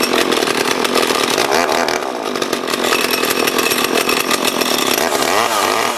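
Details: Small junk-haul chainsaw being revived, chain brake working, owner suspects the oiler isn't working: strong, even two-stroke buzz holds steady while cutting with no bogging or misfire; saw runs and cuts properly.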